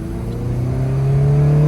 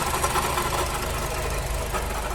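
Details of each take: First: Honda Civic Si (FA5, K20) on a test drive after water pump replacement and coolant bleed: smooth engine note climbing steadily under acceleration into VTEC, no whine, squeal or knocking; old water pump noise gone, belt possibly a little tight. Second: 2006-2011 Honda Civic Si K20 at idle, before water pump replacement: steady idle with a rough gritty whirr under the engine note, worn water pump bearing, pump possibly starting to leak coolant.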